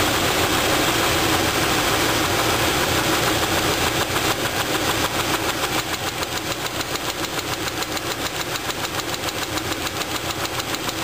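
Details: Sharp, regular knock about three and a half per second over the running engine, clearer as it settles, during valve adjustment to rule out a lifter; rod knock from a spun rod bearing on cylinder two.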